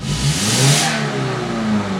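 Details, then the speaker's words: Subaru with low power, with three 3/8-inch holes drilled in the exhaust to test for a catalytic converter restriction: loud, raw exhaust roar that climbs quickly and falls back cleanly, revving freely without bogging. "seems to rev okay you can hear I don't know if you can hear but you've got to be able to hear Let me hit unlock here when I step on the gas you can hear the exhaust pouring out those holes"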